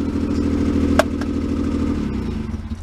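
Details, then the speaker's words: Pre-war Elgin cycle engine, 45 years in a barn, fitted in a ride-on vehicle: loud, raspy, unmuffled exhaust blat that swells with the revs then falls away; blown muffler. "And it's much quieter when you're riding it around, well, other than the blown muffler."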